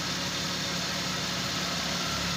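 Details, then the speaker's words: After repair of a car that would not start, stalled, had low battery and no cold air-conditioning: engine now runs with a steady, even idle and no knocks or stumbles; air-conditioning cold and charging normal. "So umandar na sir. Ayan umandar na. Malamig na aircon. Charging normal."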